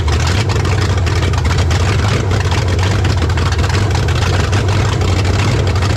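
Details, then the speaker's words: 1970 Dodge Charger 383 four-barrel V8, idling after swapping back to its original calibrated carburetor with timing slightly retarded: deep, steady, even rumble with no misses or knocks, better than with the Carter carb; normal idle despite coolant and fuel leaks. "But it actually does sound better than it did with the Carter"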